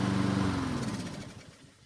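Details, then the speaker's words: Nearly new Honda HRN 216 mower that wouldn't start; ran once physically primed, possibly water in carb bowl or a jet blockage that came loose; even buzz that then sags and fades as it winds down. "well that was really interesting the engine started and ran it just apparently needed to be physically primed"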